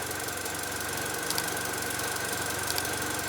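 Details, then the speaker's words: 2008 Mini Cooper Clubman from Copart, after new spark plugs and fuel injector cleaner: uneven, lumpy idle beat under a thin high whistle with vibration; rough idle, owner suspects Vanos solenoids or injectors, unconfirmed. "There's definitely still a vibration though. I just don't know what's next."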